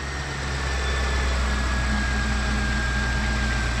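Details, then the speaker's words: BMW 735i E65 V8 after replacing both drive belts and one lower tensioner/idler pulley that cured a horrible squeal: smooth, even idle with soft low rumble and no squeal or rattle from the belt drive. Normal idle; 430 stored fault codes remain. "mais on a changé les 2 courroies et le bruit il a disparu parce qu'il y avait le couinement horrible, tu connais toi. Et là il a l'air de fermer sa gueule."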